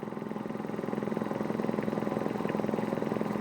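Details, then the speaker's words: Free roadside gas-powered Quincy air compressor, belt-driven pump remounted on tank, run on electric motor: steady even thumping about two and a half strokes a second with smooth hum, no knocks; runs fine and quiet, filling slowly. "so we're gonna plug it in and turn it on and see what it does seems to run fine it's quiet"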